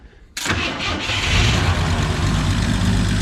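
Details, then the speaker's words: 1976 AMC Gremlin engine, sitting since 1991, run off fuel poured into the carburetor float bowl via the vent tube: catches first try and settles into a steady, even idle with no misses or knocks, "like a sewing machine"; healthy start and idle. "Oh, like a sewing machine."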